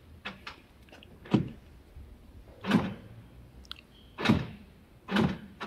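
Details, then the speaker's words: Chevrolet Cruze rear driver-side door lock actuator, operated by remote lock/unlock: short whirring strokes about every 1.5 s, each dragging slowly instead of snapping. Lock works intermittently; faulty actuator to be replaced. "Pero sigurado na ako na actuator may problema niyan. So yan pakinggan natin, i-lock and lock ko sa remote. Yan, bumaba. Gumana siya. Unlock ko. Yan, wala na. Yan, matagal, maganit."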